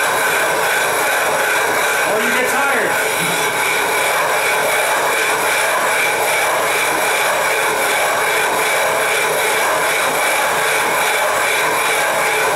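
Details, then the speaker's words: 12.5-inch telescope mirror hogging on a spin/fixed-post machine, sub-diameter tile tool with most of the weight pressed down, erratic strokes: loud steady gritty rasp, no low rumble; coarse grit biting glass, cutting well. "I'm putting most of my weight down on a tool you can hear it cutting no ST when the noise is quieted"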